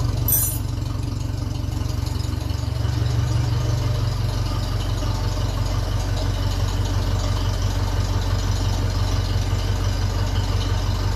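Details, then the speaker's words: 1957 Ferguson 35 TVO tractor, hot, with a trial vertical exhaust still leaking at the sleeve: steady, even low thudding at about three beats a second with no spitting or popping; clean, healthy idle. "it sounds like it's running fairly well there's no spits and farts out of it anyway"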